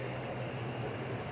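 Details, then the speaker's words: Chevrolet Cruze with a suspension noise, after replacing the faulty parts: steady low hum and faint hiss with no clunks or knocks; the suspension now runs quiet. "e não faz barulho"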